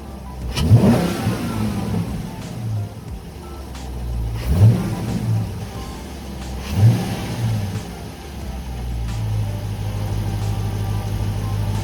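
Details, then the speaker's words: 2019 Dodge Charger R/T 5.7 HEMI V8 on stock intake, before JLT cold air intake install: three sharp blips rising and falling cleanly back to a steady burbling idle; normal revving. "Now what I'm about to do is give it a couple revs so you guys can hear a little bit of how she sounds."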